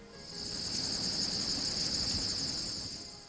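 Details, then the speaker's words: Chevrolet S10 pickup front disc brake wear indicator: high-pitched, cricket-like chirping squeal from the front brakes, meaning the front pads are worn and should be replaced; continued driving could damage the brake system. "your pickup is equipped with rear wheel anti-lock brakes and a unique front disc brake wear indicator alert system if you hear a high-pitched squealing or cricket-like warning sound like this"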